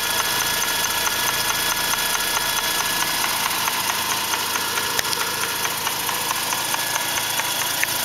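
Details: 2004 Mazda RX-8 rotary idling, drives fine: light, fairly quick ticking from the intake area, about two per second, over a steady hiss; a faulty secondary shutter valve (SSV), fixed by rebuilding the SSV.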